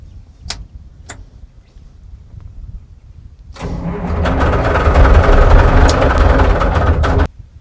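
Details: Euclid 74TD dump truck, turbo Cummins diesel, batteries nearly flat: slow, labored cranking at nearly four turns a second for about four seconds, never catches. Owner suspects a faulty electronic fuel cutout on the injector pump. Cranks, no start.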